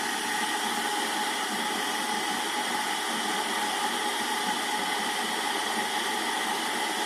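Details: Kettle after fuse repair, previously not turning on: steady even rushing hiss of full rolling boil and steam, no low rumble; working normally.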